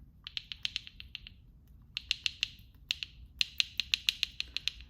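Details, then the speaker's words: Hyundai Genesis Coupe 2.0T Theta engine: sharp, bright bursts of clicking over a faint hum, at idle or low RPM when pulling forward or reversing; caused by a cracked cam phaser (CVVT) gear housing losing oil pressure. "It sounds like a clicking when it goes bad, almost like if you're knocking, but you get this sound right here."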